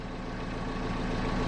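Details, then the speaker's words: BMW 5 Series idling after replacing worn exhaust mounts that had let the rear exhaust vibrate into the cabin: short, quiet, even idle with a low steady hum and no exhaust rattle or drone; only slight vibration remains. "is honestly so still i mean there is obviously the slight vibration but that is tons better than it was before"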